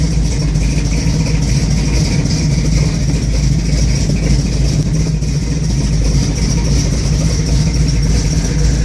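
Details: 1971 Chevrolet Camaro SS 402 big-block V8 at idle: loping, uneven, stumbling beats with a lumpy low thrum; rough idle, cause not pinned down.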